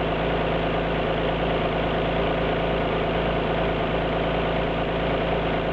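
Steady idle with a faint uneven lope in the low rumble, a beat dropping out now and then; sounds like a cylinder misfiring. Cause suspected, not confirmed.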